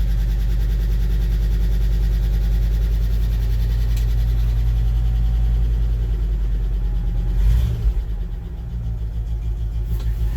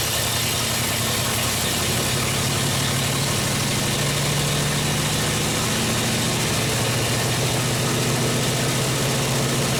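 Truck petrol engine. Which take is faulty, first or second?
second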